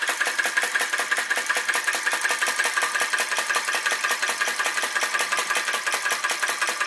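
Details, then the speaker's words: Flame Licker Flame Gulper VE-01 crossbeam vacuum engine with added drive pulley, driving a DIY fan after flame adjustment: crisp even ticking about 160 beats a minute, working hard but running smoothly under load. "it's working hard you can hear it working hard very fine adjustments make such a big difference"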